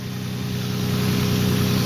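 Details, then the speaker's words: Lexus IS300 just after spark plug and coil upgrade, started seconds earlier and still cold: smooth, even idle hum rising slightly as it settles, no misfire stumble or ticking; clean normal cold idle. "And you can hear it starting to warm up here. It's not hot, right?"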